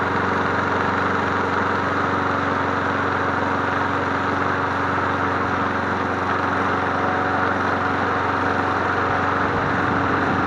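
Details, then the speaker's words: MTD Bolens push mower 11A-414A065, revived and cleaned, started after priming three times to warm up before an oil change: steady, even drone at constant speed, no misfires, hunting or rattles; sounds good, running well. "It sounds good. What do you guys think? I think we have a winner chicken parm dinner."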